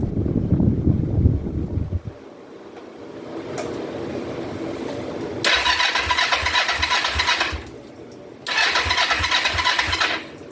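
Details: 2004 Kawasaki Vulcan 500 stored two or three years, carburettor float bowls just reassembled, petcock turned to prime to fill the bowls: two short bursts of even starter cranking, about three turns a second, no firing; cranks but won't start, cause not confirmed.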